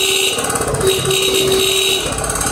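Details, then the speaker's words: Motorcycle horn tested at idle: thin horn note flutters and drops out as lights also flicker; stronger when revved. Weak pulsing horn (description blames light rectifier). "como lo pueden ver amigos cuando lo acelero también la intensidad del claxon es fuerte pero Israel lente la luz y el claxon empiezan a parpadearse el sonido Está parpadeando también"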